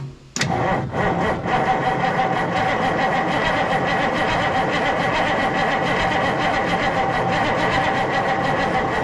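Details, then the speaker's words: Kenworth W900A diesel after months of restoration, entire fuel system new and not bled: catches after a short crank and settles into a steady, even idle with a clean rhythmic clatter; starts normally and sounds healthy. "Well, it runs again. That sound really good."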